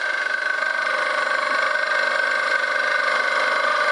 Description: Crunchy bearings ;-(, but they are cheap to replace!!